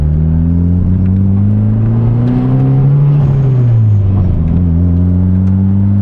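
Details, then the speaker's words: Fully built SR20DET S13 with fresh engine and Garrett 3076 turbo, first drive after dyno (443 HP at ~15 PSI), coolant steady at 172°: deep, smooth exhaust note rising and easing with throttle, no knocks or misses; runs better than before, healthy. "Sounds good. I can already tell that like when this thing was running my Dodson, it didn't even run this good like just driving around."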